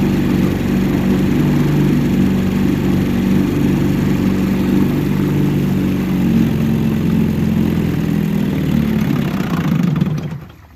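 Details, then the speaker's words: 1963 Evinrude 3 HP outboard idling with the cover off after the sticking carburettor float needle that left the bowl dry was fixed; small outboard runs with an even, steady putter for ten seconds, then cuts out cleanly; running normally. "Well, we finally did it. She's back there idling in the background, and much better than that first video when we had it running."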